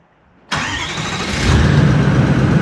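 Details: 80 Series Land Cruiser with 1VD-FTV turbo diesel swapped from a 79 Series, first fire-up after an ECU adjustment; quick crank catches at once into a smooth, deep, even diesel rumble with no misses or knocks, a healthy start.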